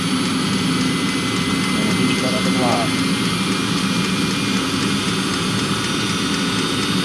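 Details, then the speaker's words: Diesel-fired coolant block heater on a 2016 Mercedes Sprinter van (2.1L four-cylinder diesel), running off the van's fuel tank; fuel pump clicking at start, then steady even jet-like roar, sometimes smoking; normal burner operation. "That's the fuel pump clicking right there, and it does smoke sometimes. I've had a few times where it didn't smoke when I started it up, and today is one of those times when it's going to smoke again. Like a mini jet engine."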